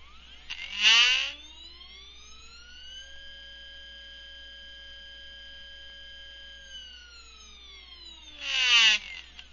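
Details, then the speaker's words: Stepper motors bolted to a steel plate, driven by a GRex controller at 65 kHz and 5000 mm/min feed: clear whining tones rise, hold and fall, with rattles as the plate resonates; normal whine, no lost steps. "as you can hear from the motors they tend to whine out a bit as they go and these are bolted to a steel plate so you'll hear a bit of rattling going on in the background as they resonate when they hit the resonant fans"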